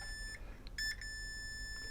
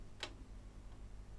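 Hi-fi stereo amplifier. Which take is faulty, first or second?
second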